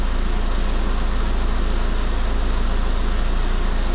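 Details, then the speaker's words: After blowing compressed air through the alternator, a car from a mixed Cavalier/Corsa/Astra/Saab fleet idles with a steady low even beat; the belt, which had been chirping, now runs quietly, headlight flicker seems to have stopped and voltage is steady near 13.9 V. "I don't know if that was funny it sounds okay just now"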